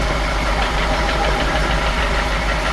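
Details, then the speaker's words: F10 BMW 550i, N63 V8, at idle: dull repeating bottom-end knock, no misfires or warning lights; bent rod suspected, letting the piston strike the crank counterweight. "sound is never good. This engine started knocking right after I fixed another problem, and now the engine might be ruined."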